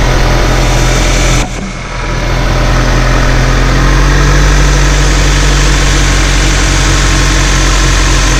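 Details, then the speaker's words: Honda CR-V at idle after replacing power steering pressure line O-ring(s), fluid full, checking for leaks: smooth even idle, no pump whine or groan; noise gone. "and the noise is gone"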